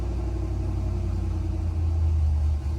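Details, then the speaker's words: Gen 3 engine with larger cam on factory stock tune, IAC-controlled idle, held with throttle after cranking; deep lumpy idle that firms up as fuel and idle airflow trims learn, adding about 7–8.5 g of idle air. "The fuel trims are going to be trying to learn, and also the idle airflow trims are going to be trying to learn. So it's going to be trying to keep itself alive."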